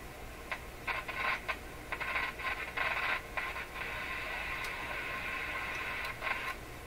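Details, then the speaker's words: Northern Electric Model 5200 Baby Champ tube radio during final tuneup: hiss breaks into irregular crackle and static bursts when one terminal is touched, like injecting signal; bridging the capacitor with about 330 changes nothing, and reception oddly improves. "So lots of problems here when I do this. I'm injecting signals right into the radio. I mean, just touching one lead."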